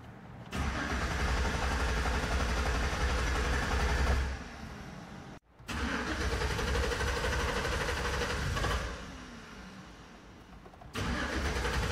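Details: 2011 GMC Sierra no start: steady starter churn about three beats a second in repeated long bursts, never catching; no fuel pump activation, traced to the fuel pump relay activation wire and fuel pump control module, an easy fix. Crank, no start.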